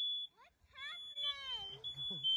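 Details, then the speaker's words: Smoke detectors inside a hot tent filled with stove smoke from a clogged pipe: loud high-pitched alarm tone in repeated pulses with voices in the background; high one sounded after about 10–20 seconds, middle after about 1.5 minutes, bottom now sounding. "i think the first one only took about 10 seconds or so to go off 10 15 20 seconds medium height one took about a minute and a half i think the bottom one's going off now too"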